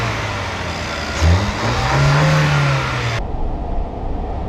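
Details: 2019 Ford Escape after replacing a dead battery (no-crank, no-start): short crank, quick catch and rev settling into a smooth, even idle; starts and runs normally.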